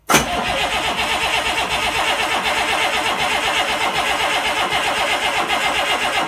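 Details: International DT360 diesel on a test stand catches at once on starting fluid (ether) and holds a rapid, slightly uneven clatter; fuel system not primed or bled so it won't run on diesel, oil seen at the exhaust.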